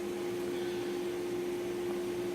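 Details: King cabinet table saw after motor bearing replacement and table alignment: a steady, even motor hum at a constant pitch with no rumble or grinding; the saw runs healthy.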